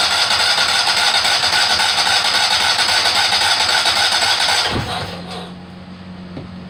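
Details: Kohler Command 18 hp after rebuild, first start attempt with carburetor fed from a funnel since the fuel pump hose is soft and falling apart; steady quick cranking, about four turns a second, never catches, then winds down; seized carb fuel shutoff solenoid blocking fuel.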